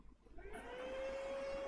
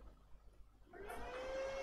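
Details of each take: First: Lenovo ThinkCentre M72e with no display and missing VCore and VCCSA: the CPU fan spins up to a loud, steady whir and stays at full speed instead of slowing down, indicating a motherboard fault. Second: Lenovo ThinkCentre M72e after a no-display repair (missing VCore/VCCSA, replaced NCP102 MOSFET driver IC): fan whirs up and fades over about two seconds to quiet steady tones, normal power-on with display restored.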